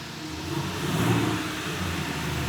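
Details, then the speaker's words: Turbo Kia Stinger GTS listed with a bad engine, just fired after a cylinder cleaning treatment, at high idle burning it off: rough, uneven, shaky beat, a misfire from low compression. "It's kind of shaking more than I'd like to see."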